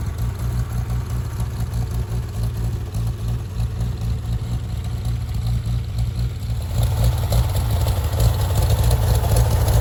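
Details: Farmall tractor (1949 H or 1968 656, unclear which), troubled by fuel problems and cutting out; carburetor adjusted after it hadn't run over 30 seconds, coolant was 2.5 gallons low. Even, steady low idle, then revs pick up cleanly around seven seconds; normal idle.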